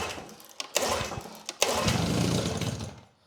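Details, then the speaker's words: Grandfather's old Evinrude 6 hp Fisherman outboard, primed on mixed old and new gas, choke on. After a few pulls it catches and runs roughly briefly. It fired up and later runs like a top. "She fired up."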